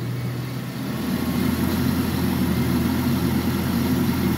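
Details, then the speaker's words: Engine just after repair, coolant refilled and air bled out: even low rumble right after start-up with no timing chain rattle, which had been loud before; healthy idle. "let's fire this hog up oh my goodness that is so much better"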